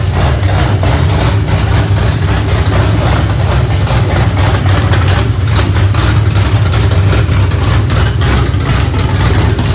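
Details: 2004 New Edge Ford Mustang V8 running again, recorded on a phone mic: a lumpy, choppy idle with a loping beat and short rev blips, the rough rhythm typical of big aftermarket cams.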